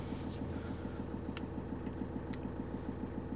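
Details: 2007 Vauxhall Movano 2.5 CDTI diesel van with LPG gas injection, just started from cold, gas entering at 12.7 degrees; cold diesel ticking over evenly at about three and a half beats a second, steady clatter, no misses; normal cold idle.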